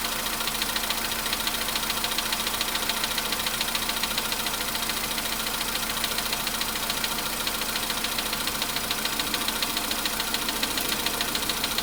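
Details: Volkswagen Polo Sedan cold start, idling and warming toward 55 °C coolant: fast, even ticking knock about two per second over a hissy engine note, fading as it warms; cold knock, cause unclear.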